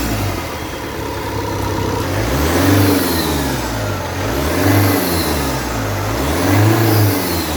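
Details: Opel 1.9 CDTI diesel: each throttle blip brings a rising whoosh and hiss climbing with revs then falling; air leaking from the intake.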